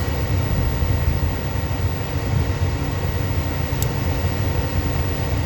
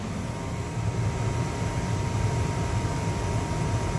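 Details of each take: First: 70,000 BTU upflow Lennox furnace, no-heat call, doors off: only the inducer's steady rushing hum, no flame or burner ignition; fault code shows pressure switch failed to close or reopen. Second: 70,000 BTU upflow Lennox furnace after pressure switch replacement, new filter and cleaned flame sensor: steady even low rumble of burners and blower with faint hum, no clicks or rattles; heating normally.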